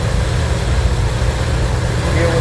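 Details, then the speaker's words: Van engine under renovation running for the first time: steady, even low rumble at idle with no knocking or ticking; sounds good, engine runs smoothly. "this fuel thing doing it. Yeah, sounds good."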